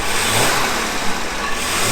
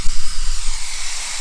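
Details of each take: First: 1978 Jaguar XJ6 Series 2 barn find, back together after a thermostat change and warmed up with the temperature gauge normal: smooth petrol engine blipped through a couple of clean, even revs without knocks or misses; sounds healthy. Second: 1978 Jaguar XJ6 Series 2 barn find stored 24 years, temperature gauge barely above half: loud, steady steam hiss easing off over a second when the expansion tank cap is pressed; cooling system over-pressurising and venting at the cap.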